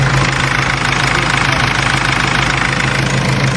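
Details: Mercedes W203 idling with the air conditioning switched on and the fan PWM signal checked on an oscilloscope. Steady whirring fan over an even idle, no rubbing or rattle; the cooling fan runs normally.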